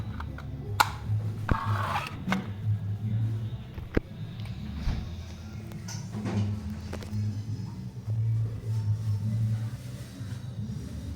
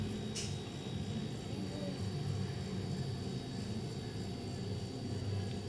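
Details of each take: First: Mabe refrigerator that doesn't cool: the compressor hums and rattles in short bursts, starting then cutting out. The fault is the PTC start relay assembly. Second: Mabe refrigerator: steady, even low compressor hum with no knocking or rattling, which is normal running. Earlier it rattled and failed to start or cool; a working compressor should draw 1.5–4 A.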